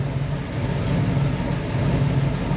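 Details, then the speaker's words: Revived abandoned small-block Chevy V8 in a Nova, needing tune-up and new plugs, 30 lb oil pressure at idle: deep burble with uneven, loping beat that never settles; rough idle. "she a still needs some work uh I definitely need to do the tuneup on it get new plugs and stuff in it but it's iding"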